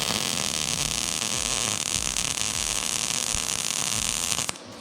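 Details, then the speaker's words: YESWELDER MIG-205DS, .030 wire, argon/CO2 on 1/8" plate, 78 amps, inductance +5: a steady, even frying hiss with no pops or sputter, a smooth, clean MIG arc. "Wow. All right, so I wanted to stop that halfway because I like this a lot. It sounds very clean."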